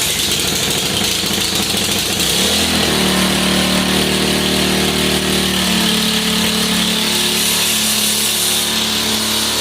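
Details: Ariens Professional 21 single-stage snowblower with only 3.6 hours, no-start from old bad gas; after carburetor bowl cleaning and fuel line replacement, started on choke, it catches after a couple of seconds and settles into a steady, even run with no misses or surging.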